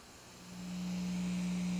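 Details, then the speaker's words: Audio-Technica AT-PL120 turntable, built-in phono preamp switched on, volume at maximum: quiet hiss then steady low single-pitch mains hum, gone when preamp off; hum from the built-in phono stage. "you hear a hum you can't really hear it unless it's cranked all the way um it's pretty unnoticeable here"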